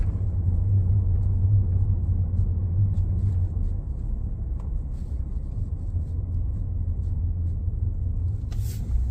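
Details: 2019 Ford F-150 Lariat 3.5 while driving: a steady low drone under the road rumble, a front-end hum; suspected IWE, 4x4 actuators or front differential, source unconfirmed.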